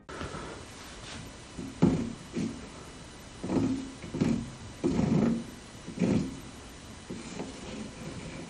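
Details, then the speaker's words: Kitchen faucet spout swiveled back and forth gives rough grinding scrapes and loose, unsmooth feel, caused by a loose nut at the spout-to-faucet connection. "Now you can hear how annoying the grinding noise is when I swivel the spout. The feeling is not smooth at all too. It's some kind of loose connection."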